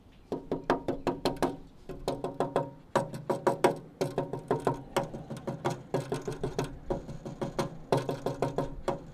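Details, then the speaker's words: Dodge Charger crew cab conversion frame near leaf spring perch; rapid hammer taps, some ringing clear on solid metal, others dull and flat where the metal is rusted through. "Hear the pitch difference. That's that sound is the really easy way to tell if metal's roached. And this is very much toast."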